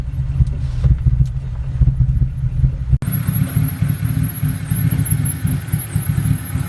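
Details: BMW N63 engine with drivetrain malfunction warning and smoke: low, lumpy idle with uneven shaking rhythm that stumbles and surges; misfire caused by vacuum leak from a disconnected PCV hose.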